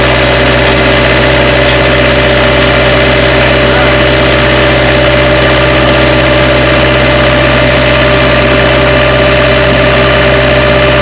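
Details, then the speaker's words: Bobcat 773 skid steer diesel after replacing the in-tank fuel pickup with check valve and priming air from the pump: loud, even idle with a steady low drone, no stumbles or surging; running cleanly after repair. "On the last segment, you heard, got her up and running."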